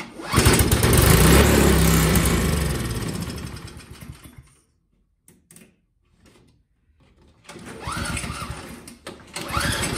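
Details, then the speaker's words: Craftsman single-stage four-cycle snowblower, carburetor reinstalled and bad gas drained: engine catches with a steady chug about four seconds, fades, sputters again; starts and dies, runs only with constant priming via a prime bulb, a very dirty carburetor. "as you could hear it would start and die start and die the only way i could even kind of get it to run was to actually hook a prime bulb to it and just keep priming it"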